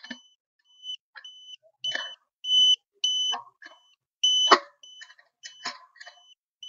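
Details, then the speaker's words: Satellite finder beeps repeatedly between clicks and handling noise, signalling a locked, strong signal on the 16-degree satellite while a dish is aligned for three LNBs (16, 28, 36 degrees). "Okay, so as you can hear from the BP, I've got in my 16 degrees angle."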